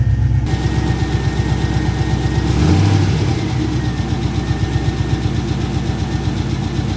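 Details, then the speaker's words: Pontiac GTO V8 project car at normal idle, about 870 rpm with 45 psi oil pressure: a steady, even low burble with one brief rev that settles back smoothly, quieter at idle than expected. "It actually doesn't sound that loud at idle. I thought it was way louder."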